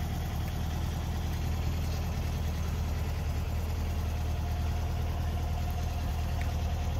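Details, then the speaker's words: 1964 VW Beetle, 64K original miles, air-cooled flat-four with the electric choke dropped off as it warms: steady even low thrum, no misses, knocks or hunting. Normal idle. "the electric choke operates like butter kicks on cold in the morning just like it should kicks down just like it should as the engine warms up"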